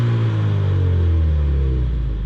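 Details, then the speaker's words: Ford Mustang EcoBoost after swapping Accel spark plugs back to factory plugs, previously misfiring at low rpm and idle since cold weather: deep, even rumble climbing smoothly with the revs, no stutter around 1,000 rpm or breaking up; normal rev-up. "sounds good. RPMs go up, no problem. It's not breaking up anything."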